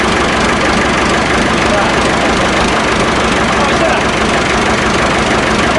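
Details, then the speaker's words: Massey Ferguson 1080 tractor, bought as a scrap non-runner, now running after revival; even, steady diesel clatter at idle with no misses, knocks or hunting. Normal idle. "well that is lovely that he is i know it's way better than i thought it was going to be in fact that wasn't didn't even know it was running"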